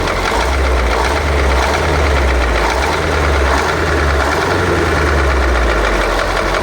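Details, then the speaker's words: KamAZ with YaMZ-238 diesel idling and revved, a steady repeated knock over the rumble, listened to at the injector lines; owner suspects the seventh cylinder is weak or dead, fifth slightly off; cause unconfirmed. "вот это немножко стучит это тоже Пятая немножко Седьмая вообще как будто нету"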